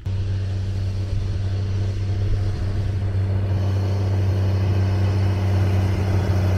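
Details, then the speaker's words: Magirus Deutz diesel camper truck driving on a main road in Turkey after working hard up a mountain climb: steady low drone with a new, uneven throbbing beat under load, not heard before; engine fault. "On entend un bruit. On entend un bruit qu'on n'entendait pas avant. Bon, ça fait de la musique, mais bon. C'est que c'est pas normal."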